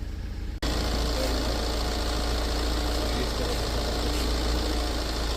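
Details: 2012 Tata Safari diesel engine starting with no fault codes and all dash warning lights out: it catches within a second and settles into a steady, even diesel clatter with no misses or knocks, a healthy idle.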